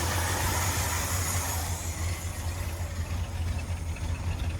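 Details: A 1977 Ford F-250 Custom V8 that sat about ten years, on a Motorcraft 2-barrel carburetor with the choke removed. It has a lumpy idle that sags and wavers after a higher start and never evens out; the carb is hard to tune, and the cause is unconfirmed.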